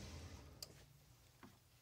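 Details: PT GT engine idling quietly with a sharp metallic tick roughly every 0.8 seconds over a low hum, first heard as a diesel-like sound after a two-hour drive; lifters and rockers checked fine.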